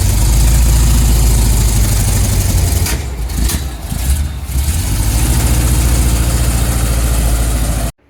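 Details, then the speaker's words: 1975 Chevrolet C10 under rebuild. Heavy, uneven V8 idle with lumpy low thumps, a stumble midway and backfiring. The vacuum advance line was left unplugged, so ignition timing was retarded. Owner suspects this causes the backfire; fix is reconnecting the line. "see that vacuum line was unplugged the whole time that might be the reason why it's backfiring the vacuum advaned it was just laying there apparently yeah I didn't hook it back up"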